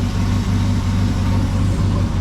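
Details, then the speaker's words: 1974 Ford F100 4x4 with a 390FE big block: deep, steady, even idle rumble with no stumbles, a huge improvement over before. Normal idle; owner decides to return to points ignition. "yeah big big humongous difference right there it's as smooth as it can be"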